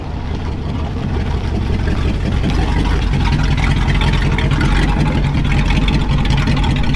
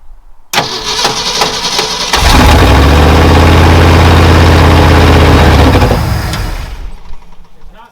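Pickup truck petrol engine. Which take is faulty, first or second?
first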